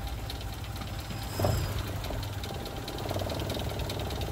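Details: Mitsubishi Lancer "Pizza Pie" after replacing the failed release bearing (previously very noisy when pressing clutch): steady low idle, no whine, squeal or grind on clutch press; quiet clutch release.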